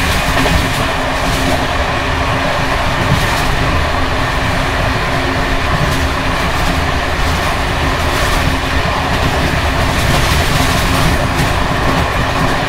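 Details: Bd264 481 coach (built 1979) riding Görlitz V bogies long since major maintenance, on uneven line 190 between Hluboká nad Vltavou and Číčenice; steady rumble with irregular metallic clatter over joints from bouncing worn brake rigging.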